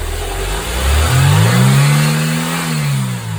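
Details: Mercedes 190E W201 2.0 (M102) at idle and revving after replacing belt tensioner, damper, fittings and belt that had made a dull noise; smooth idle and even rev, no squeal or flutter, belt not loose.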